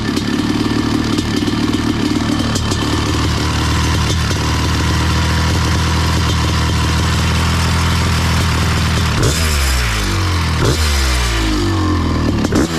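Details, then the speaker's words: Honda CR500 two-stroke powered Schwinn trike, 170 main jet: crisp burble at idle then quick throttle blips rising and dropping cleanly without bogging; normal running. "Okay, boys. I'm giving it a clean bill of health. I'm I'm ready to send it back."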